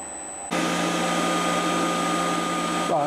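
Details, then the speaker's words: Chinese diesel air heater with battery backup, after switch-off: fan kicks in to a fast, steady, smooth whir, then tails off as the heater cools itself down; normal shutdown fan run-on. "just cooling down and the fans started to get really quick so this is part of the shutdown cycle it's cooling everything down"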